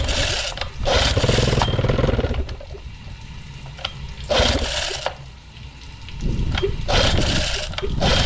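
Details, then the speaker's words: Two-stroke outboard with good compression, just started with starting fluid, carb needs work: fast, slightly uneven buzz with the idle sitting too high; idle needs lowering. "Yeah, I'm going to have to lower this idle."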